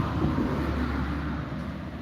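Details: Late-2018 Samsung WD80M4B53IW washer-dryer with direct-drive motor: low steady rumble under the turning drum that fades as it slows; worn drum bearings, owner also suspects a failed thermal sensor.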